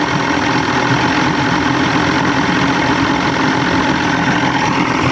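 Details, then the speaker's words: 1987 Johnson 150hp V6 two-stroke outboard with loss of power, after spray cleaning and a slight adjustment; even steady idle with no stumbles, all cylinders seem to be firing: normal idle. "Now I kind of want to make sure they're all fire. Sounds like they are. Yeah, that was fire. Yep, that was fire."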